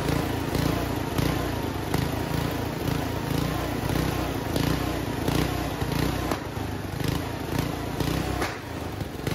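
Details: Homemade junkyard go-kart small engine, after a carburetor clean with the air box off. It runs rough, with sharp irregular pops and cracks every second or so, backfiring badly. The owner thinks it is running a little lean.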